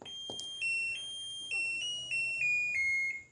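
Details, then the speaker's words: Advance 7.5 kg fully automatic washing machine powering on at the panel board: a series of short, clean, even high electronic beeps, a normal start chime. "power on කරගන්න. power on කරලා අවශ්‍ය රිද්ද ප්‍රමාණය දාලා power on කරලා මෙතනින් හදන්න ඕන වතුර level එක."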